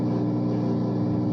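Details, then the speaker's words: Whirlpool washer (WTW4950HW3/WTW4955HW3) that kept draining nonstop, control board W11578827 involved, running its button-triggered self-test/reset cycle with the water supply off; steady, even motor hum with no knocking, scraping or grinding; normal self-test cycle. "Ah, no le tengo abiertas las aguas, pero igual ella está haciendo el proceso. Miren, ahí está ella haciendo todo."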